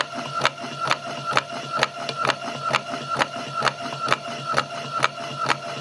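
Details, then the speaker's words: Patlite SKP-240 industrial halogen rotating beacon, fixed-belt drive: steady motor whir with sharp rattle about twice a second as the transmission unit contacts the rough belt section; normal operation. "The sound that you can hear is the motor assembly rattling when the transmission control unit comes into contact with the rough section of the belt."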